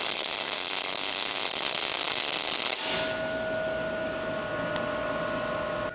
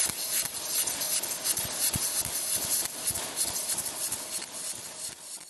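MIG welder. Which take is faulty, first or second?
second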